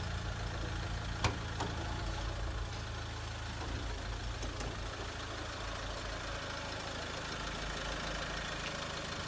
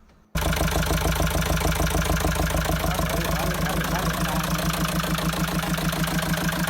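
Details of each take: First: Mahindra XUV500 diesel after full engine overhaul (pistons, rings, bearings, head, valves), bonnet opened; steady low idle with even soft rumble, no knocks or rattles; no noise, normal idle. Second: Mahindra XUV500 diesel before full engine overhaul; starts and settles into harsh, clattery idle with uneven tapping over the steady run; abnormal engine noise before rebuild (bores, pistons, rings, bearings, head, valves).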